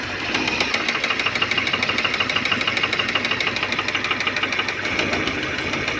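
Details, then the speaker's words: Fiat Siena at idle with oil warning light staying on and little power: steady, fast metallic knock about three per second from the front of the engine; knock with low oil pressure, shut off to avoid further damage. "Então, alguma coisa tem de errado aí com o motor, ó, tá ligado, né? Só que tá batendo lá na frente [Aplausos] bastante."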